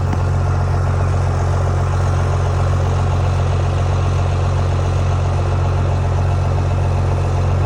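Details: Owner's Dodge, battery charged, having sat waiting on paint: steady, even low rumble with no knocks or misses, smooth continuous idle; normal idle.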